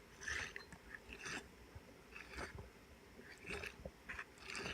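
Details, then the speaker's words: Johnson crankshaft-mounted raw water cooling pump during rebuild, impeller removed, shaft turned by hand: irregular gritty scraping bursts about once a second, shaft hard to move. Worn bearings due for replacement, water pump bearing grinding. "That's with the impeller out, and it's making a grinding sound, and it was really hard to move. So yeah, these bearings are due for replacement, I would say."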